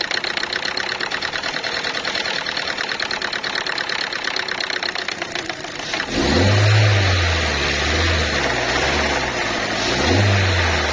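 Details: Knocking about three times a second from a loose, flapping filler-neck hose on a Chinese car, heard as the engine starts and revs; the radio/head unit screen also stays dark.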